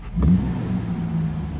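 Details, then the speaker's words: 1991 Mercedes 500SL R129, M119 V8, warm engine, after cleaning idle control valve; quick blip, revs drop slowly and hang slightly high before settling, suspected valve not closing fully: high idle hang-up from idle control valve. "oh, see, it's still hanging up just a little bit. It's better, but it's still hanging up just a little bit."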